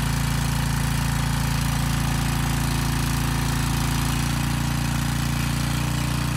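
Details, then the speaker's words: Briggs & Stratton Storm Responder generator repowered with a 10 HP Briggs engine, under load test: steady engine drone with a fast, even rattle about three or four a second from the loose starter assembly vibrating on the engine. "also the engine's making a lot of noise it's actually not the engine it's the starter assembly it's rattling kind of on the engine so the engine isn't quite as loud as it sounds"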